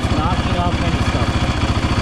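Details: 2017 Raptor 700R single-cylinder ATV, warmed up and revved before its first oil change. Fast, even thumping pulses around ten a second with no knocking or irregular beats; running healthy.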